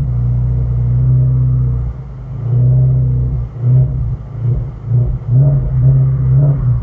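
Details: 2018 Ford Mustang Shelby GT350 V8 revving; faint rattle at 2,000–3,000 rpm, more apparent holding throttle while driving, not exhaust or compartment vibration; owner suspects piston slap, unconfirmed.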